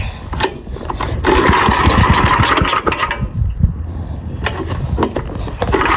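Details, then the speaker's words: Old AMF snowblower small single-cylinder engine, sitting over 20 years and revived with starting fluid, dialed in: catches and runs with a fast, slightly uneven putter. Running fine. "It runs! We got her dialed in here. She's running pretty good."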